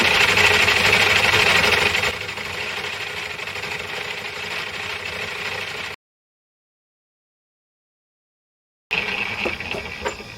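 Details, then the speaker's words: Growling noise from a lathe drive while machining new poured 5-inch discs for a Gingery mill transmission: steady cutting hiss over a coarse rhythmic growl, about four pulses a second; sounds like a gearbox but owner doubts it is the gears. "don't know i don't know if you can hear that like i can that um it's got a it's got a terrible growling noise sounds like a gearbox but it's i don't i don't think it's a gear it's making a horrible noise"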